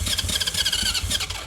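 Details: 1980 Honda CB750F Super Sport, 5,616 miles, sitting since 1988, first start attempt on choke with a weak battery; catches with ragged pops, almost runs about a second, then dies; owner suspects it needs a carb clean and a battery.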